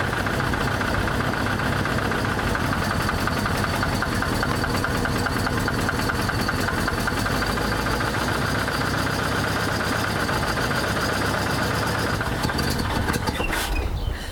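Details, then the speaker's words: 1983 Ford E350 RV engine running after oil replaced coolant in the pan, no longer smoking but low on power: steady idle with a rapid, even knock over the engine note; engine knock, cause unclear. "She turned over, that's good. Yeah, she's not even smoking anymore. Still sounds like there's a knock or something, but no smoke is good."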